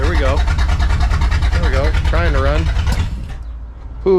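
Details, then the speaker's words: Truck just fitted with Holley Sniper EFI, first start attempts: engine catches with an uneven putt-putt, stumbles a few seconds, then fades and stalls, then cranks without starting; cause unknown, troubleshooting begins. "and then it poofs out all right we're gonna get this thing figured out um and see what's going on here we go alrighty now it's not wanting to start um it's trying it's trying like hell but it's not uh it's not actually starting"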